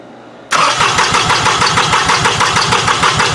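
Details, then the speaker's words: 2005 Toyota Sienna with a crank-no-start: spark and injector pulses are present. The starter cranks about three beats a second with an uneven, lopsided whirr, which sounds abnormal, and never catches. The sound prompted a relative compression test with a current clamp on the battery cable. "that's good so you guys can hear that crank and it doesn't sound 100% right you can hear it kind of you know woing I guess for lack of a better term"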